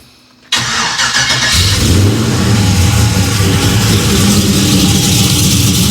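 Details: 1992 Dodge Dakota LS-swapped with GM 5.3 V8 and 4L80E, just after installing an inline E85 flex fuel sensor mount with no fuel leaks: catches on first crank, settles into steady even idle, no misses or knocks; normal start and idle.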